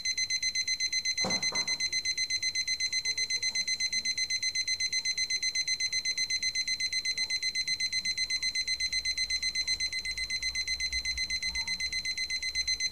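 Crisp high-pitched beeps repeat evenly about four times a second without stopping; the alarm clock's alarm works normally.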